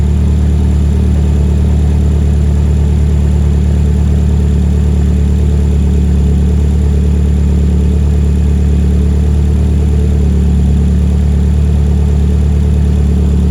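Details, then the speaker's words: 2008–2012 Chevy Malibu 2.4 L engine, first start after replacement install for bent valves, no exhaust past catalytic converter: steady even low rumble, loud and open, no misses or ticks; running on all cylinders. "and there we go sounds like it's running on all cylinders uh it's not missing any timing or anything like that it's just loud because we don't have the exhaust on"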